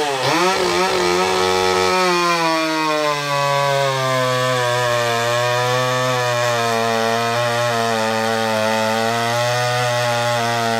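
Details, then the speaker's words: Restored vintage Pioneer P41 66cc two-stroke chainsaw after a carb rebuild, with a free-flowing muffler and a 24" Oregon bar, cutting wood. A loud raspy high-revving drone holds steady with slight dips as it bites. Strong, healthy running under cutting load. "We got a nice free flowing muffler. It's going to have a little more of a crackle, snap, pop to it. All right, so the muffler model, let's fire it up. It's a little louder."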